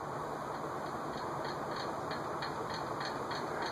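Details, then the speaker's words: 1986 Envirofan Gold Line 160F-7 industrial ceiling fan (new old stock) on medium-high, about 0.55 A: steady rushing air with light even ticking about three times a second from the canopy rattling on an untightened screw. "spoke that up in the canopy is rattling a little bit because it's not tightened because it's not moving so I guess I'd tighten that screw it would be rattling"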